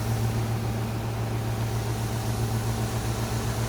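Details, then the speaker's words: 2011 Ducane heat pump in heat mode, early-season startup at about 67°F outside with the closet at 62°F: low, steady hum with a slight rough edge, level and quiet throughout; a normal compressor start. "it's whisper quiet. Pretty much, pressure's almost inaudible."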